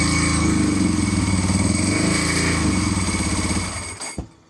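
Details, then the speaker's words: 748 motorcycle after a rev attempt; fuel light came on and it shut off, then after cycling the throttle fuel light came on: lumpy idle of about four pulses a second that sags and dies; stalling, cause unknown. "And so now it just shut off again. So something's going on here."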